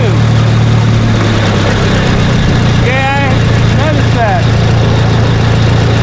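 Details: Case LP DC4 tractor on liquid propane, distributor ignition instead of magneto, propane turned on before starting: steady low idle with an even firing beat and no knocks or misses; engine runs smoothly.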